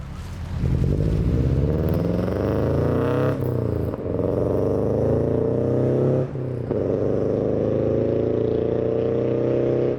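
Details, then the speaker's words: Rough, uneven lumpy idle with faint stumble and periodic dips on a 2001 Subaru Impreza 2.5RS (GC8), flashing check engine light, codes P0301 and P0302 cylinder 1 and 2 misfire; traced to a faulty ignition coil. "okay well i was planning on doing a little bit of driving and uh you know getting some outside video and fly-bys and stuff like that but cars running a little rough we got a flash and check engine light"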